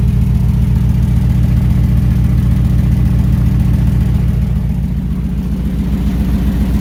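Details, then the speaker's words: 1968 Ford Bronco V8, freshly oiled, with thick new oil in the transfer case spinning the front driveshaft; deep, even idle burble with steady pulses, no knocks or misses; first time running within all normal parameters. "this is the first time in the history of ever having this thing that the engine is doing engine things that are wanted and expected and within all normal parameters"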